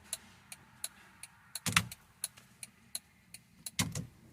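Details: Honda EF-chassis car, just after reconnecting the battery: quiet sharp ticks at a steady quick pace with a couple of louder clunks between; the flasher is clicking normally.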